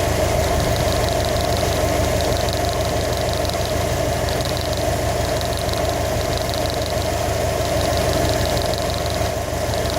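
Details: 2015 Subaru WRX STI at steady idle with a faint uneven tapping about three per second riding on top; some kind of engine knock, cause not yet found.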